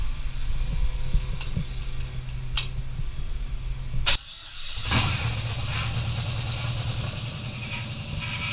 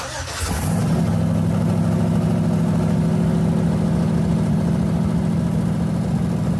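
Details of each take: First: LS-swapped Chevy S10 on its first start: the V8 fires quickly, with sharp metallic slaps over the idle as the accessory belt kicks outward and hits a bolt. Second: LS-swapped S10 truck restarted with the front drive belt removed to isolate an earlier noise: cranks, catches within a second and settles into a steady, even idle with no squeal, chirp or knock; sounds healthy.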